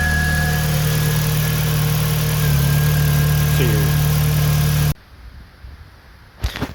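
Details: 2000 VW Golf Mk4 GTI 1.8T AGU turbo petrol idling evenly with a steady low hum, then cutting off, after replacing the failed ignition amplifier that caused a misfire.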